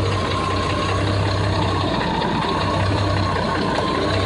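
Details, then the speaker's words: 1989 Jeep Cherokee 4.0L I6 after mechanical clutch fan delete with shorter Honda Element serpentine belt: low, steady, even idle with no belt squeal or rattle; alternator charging, everything spins correctly. "all right so I guess the last thing to do now is to start this thing up see what it sounds like with uh a little less resistance everybody loves a start up don't they"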